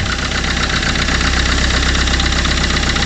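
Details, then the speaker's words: Fiat Qubo 1.3 Multijet diesel, first start after timing chain refit, oil and coolant change: lumpy idle with uneven stumbling beat and slight knock, smoking heavily, running rough; owner suspects a glow plug, not confirmed. "le fait que ça tourne sur TR et que ça cogne un peu ça peut clair la boug de pchage parce que du coup ça fume beaucoup"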